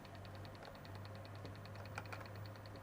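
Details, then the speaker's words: IBM ThinkPad 760 laptop at power-up: faint rapid clicking, about a dozen ticks a second, over a low hum; owner suspects the hard drive is failing. "I think I hear the That hard drive, I think that's the hard drive sound."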